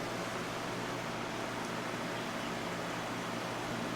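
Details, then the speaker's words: Mastercraft CTC90 small circulator fan running on low: steady, even whoosh of air with a faint low hum, no rubbing or ticking; runs smoothly. "and just remember that this thing was completely seized up when i got it and it is still working quite well"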